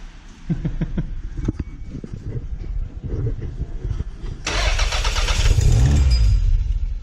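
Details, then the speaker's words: Toyota MR2 2nd-gen 3SGTE first start after head re-torque and reassembly, oil likely not yet up: uneven cranking, then harsh metallic clatter as it catches, suspected wrench left on crank bolt; shut off immediately. "What was that? What was that metallic sound? Something. Oh, I thought the wrench was still on the wrench crank. was still on the crank."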